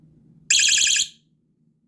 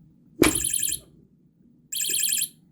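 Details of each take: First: ABC electronic motion-sensing bike lock, 9V battery: a sudden loud, shrill warbling chirp of about half a second as a motion warning after a nudge; continued motion sets off a 15-second alarm, which is normal operation. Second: ABC electronic motion-sensing bike lock alarm (9V battery) with a magnet holding its ball-bearing motion sensor: repeating shrill warbling beeps about every 1.5 s, duller and less loud; sensor slightly desensitised.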